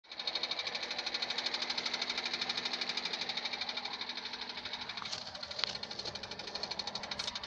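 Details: 2001 Honda Civic 1.7 automatic: sharp, even tapping about three times a second over a quiet running engine, steady throughout; knocking noise whose cause is unknown.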